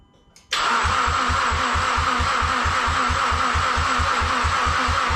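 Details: Mazdaspeed6 with suspected lost compression, crank/cam sensor or ECU faults, port injection setup disconnected: starter cranks at an even four pulses a second with steady whine but never fires; crank no start.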